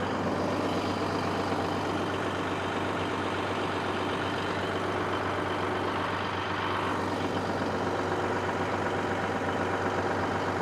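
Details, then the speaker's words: Caterpillar SS250 soil stabilizer 3406 diesel, sat 5–6 years, just started unprimed; deep steady idle with even beat, no knocks or misses, about 40 psi oil pressure; sounds healthy. "Hard to beat that. .40 psi of oil pressure. Very cool."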